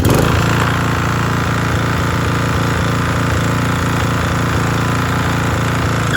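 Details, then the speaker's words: Toro TimeMaster mower, said to be locked up, running after a new spark plug, blade belt worn with a replacement ordered: steady speed with a fast, light clatter over the exhaust beat; extra mechanical noise, source unclear. "so it works just fine um i don't know why it sounds like making a little noise"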